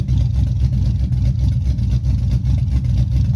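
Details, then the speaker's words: Chevy Silverado 5.3 V8, 4WD, 2.4 drop, rebuilt after a bent rod: stage 1 cam. Idle is loud, deep and slightly lumpy with an open rumble, no knock or tick. Running healthy. "Y'all can see it or not, but the truck is rocking. I'm gonna try to get the specs on this cam. It sounds good."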